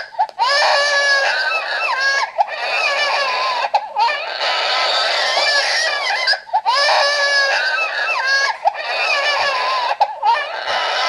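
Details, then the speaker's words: Baby Think It Over G6 infant simulator doll: loud recorded wailing in repeated bursts with short pauses, triggered when its head drops back unsupported, lasting about three to five minutes, also its hungry cry; head-support violation cry. "a okay he will come down after about three or four minutes of crying and he will cry like that every single time that you let his head go too far back this is also his hungry cry"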